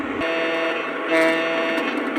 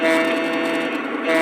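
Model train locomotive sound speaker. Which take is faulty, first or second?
second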